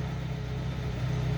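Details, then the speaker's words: 1950 Pontiac flathead engine, not yet fully warmed up, idling after months unused: deep, even exhaust burble with a steady rhythm and no knocks; normal idle, runs beautifully. "that lovely idol i love on these flatheads still not warmed up enough car runs beautifully"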